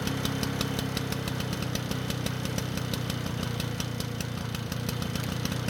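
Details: Lawnboy two-stroke mower after an engine speed adjustment: fast, uneven popping at a low, lazy speed that never picks up; engine speed is now too low and can't be raised enough to use.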